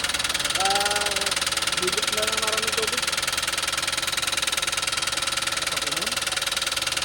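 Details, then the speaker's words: Toyota Wigo that sucked in water (hydrolock): sharp, regular knock about four times a second at idle over a hissy background, from a bent connecting rod, one or two rods suspected. "basta ganyan naandar sir sigurado yan may sigurad diyan. Hindi pa natin masasabi diyan kung lahat o dalawa."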